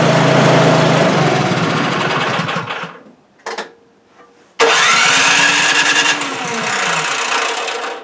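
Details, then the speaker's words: Craftsman snowblower small engine that wouldn't start: catches and runs loud for a few seconds, then sags and dies, restarts and fades again; runs only on choke or primer, so it is starving for fuel, suspected plugged carburetor passages. "she does not want to run unless it's got the choke on. So let's see here. Doing is I was giving it the primer and she was running, so that tells me that that it's starving for fuel."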